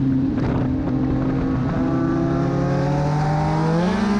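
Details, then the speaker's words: Race car at Charlotte: coming out of a turn the engine revs climb steadily while the car barely accelerates and doesn't put power down. A clutch problem is suspected but not confirmed. "issues so you can hear in this video somewhere you just hear the engine starting to wind up and it's just winding and the car is not really moving"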